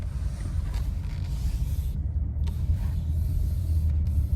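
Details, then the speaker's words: Nissan Rogue with newly replaced engine, retested over the same parking-lot bumps after the sway bar link not seated tight against the strut, the likely knock cause, was found: only low even road rumble, no front-end clunk; suspension quiet. "Same parking lot I was in before. Same bumps. Let's listen for noises. Sounds pretty quiet to me."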